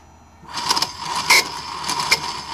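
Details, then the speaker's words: 1995 Mercedes S320 non-ASR throttle body, part 0001415725, bench-tested before repair: faint buzz with bursts of high screeching as the plate moves; deteriorating wiring and failed internal clutch coil leave it semi-energized. "we have the screeching noise this is pretty amazing stuff because usually it doesn't work like this but in this case somehow it got into this very bizarre mode where it's semi-energized so this is very very strange but it is the definitely a clutch coil issue"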